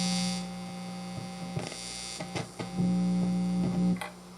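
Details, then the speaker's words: 34-year-old Washburn Status Series 1000 bass being refurbished: steady low buzzing hum with stacked overtones plus handling clicks; owner suspects pot grounds contacting new shielding while the active circuit has its own floating ground. Mains hum. "i'm gonna have to deliver the noise i think now what i'm gonna have to do is cut out a lot of crap in there so that there's no contact with ground with the pots because this circuit has its own ground"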